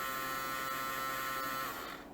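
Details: Samsung Jet 90 Pet vacuum turbo brush small DC motor bench-run on 15 V: steady even whine then smooth spin-down; motor runs normally, noise source elsewhere. Normal motor run.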